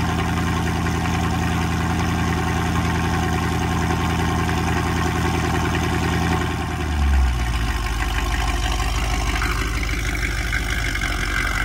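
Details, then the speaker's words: 2004 Mercedes E55 AMG supercharged V8, freshly rebuilt after an accident (new rods, pistons, rod bearings, head gaskets, all gaskets). Cold start: loud, even idle with a smooth deep rumble that settles lower after a few seconds, no knocks or ticks. Supercharger not audible; healthy. "We're going to fire it up, and you're not going to hear the supercharger, unfortunately, but you will hear the, you know, basically it waking up everybody in the greater 30 miles of the Las Vegas metropolitan area."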